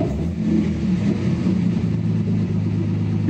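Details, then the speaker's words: Datsun 280Z on Speeduino with MAP-based acceleration enrichment values doubled. On a throttle blip the engine rumbles up but stumbles and misses instead of revving cleanly, and the AFR gauge dips rich: bog from over-rich acceleration enrichment. "I'm gonna expect this thing to bog as soon as I got it you hear that it had to miss I wasn't too bad actually"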